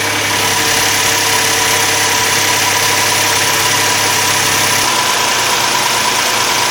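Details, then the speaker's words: Hyundai/Kia 3.3L V6 just after a spark plug replacement, including the rear plugs under the intake surge tank: steady, even idle with no misses, ticks or knocks, revving smoothly to 3,000 rpm without problem, running normally. "Alrighty. Seems smooth, revved right up to 3 grand, no problem."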